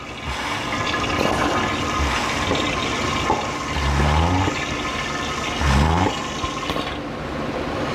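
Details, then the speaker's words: Oil change with an extractor: gurgling, slurping suction with bursts of bubbling as air is pulled through the trembling hose near the sump bottom. Oil extractor drawing air at end of drain. "sounded like a little piggy crispy bacon yeah we're getting down to the bottom of it now that hose is starting to tremble from the air bubbles i think we are just about finito"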